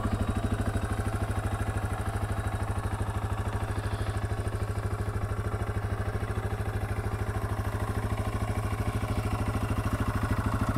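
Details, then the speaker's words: 2021 Yamaha TW200 carbureted single-cylinder, warmed up, 1000 miles, started in neutral: steady even idle thump with a light mechanical rattle, considered normal for this bike; normal idle. "and uh that's what the tdub sounds like so there was a hair of rattling in there but nothing to uh be concerned about and if your bike sounds like that then that is totally normal"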